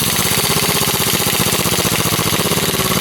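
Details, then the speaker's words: Harbor Freight Earthquake XT 1/2" stubby air impact wrench at the recommended 90 PSI on setting one, its slowest, lowest-torque speed, loosening tightly cranked car lug nuts. Rapid, even hammering at a steady rate with no misses; it works properly. "one actually works so that's the slowest speed as well it's like a lower torque and slower speed that's two which works really well"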